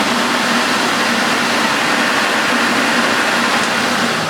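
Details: Refurbished Electrolux 4x4 vacuum cleaner with new filters and bags fitted, boost switched on and off: a steady, even rushing hum at constant pitch without rattles or surging; it smells slightly of carbon but sounds healthy; normal running.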